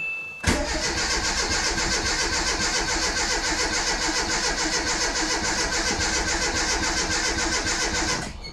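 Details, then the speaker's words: Renault Super 5 after 1.5 years of restoration and engine rebuild, first start, choke working: catches and runs a fast uneven chuff for several seconds then cuts out; fuel circuit needed refilling, starvation suspected, not confirmed. "est-ce que je sais pas je verrai je va je va on va voir elle a pété elle a pété a pété"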